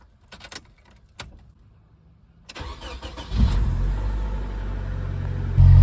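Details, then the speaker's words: N14 Nissan Pulsar Ti SR20DE cold start: cranks briefly, catches cleanly and settles, then two sharp revs climb smoothly with no knocks or misses; sounds healthy despite being revved hard cold. "sounds [Music] good and yes that was a cold start as well I shouldn't have reved it that hard but who cares it's an SR20"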